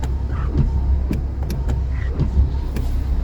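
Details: Car's framed wipers, new rubber fitted, sweep quietly with soft swishes and light thumps at each reversal after repairing excessive play in worn rivet joints that caused squeaking; quiet wiper operation.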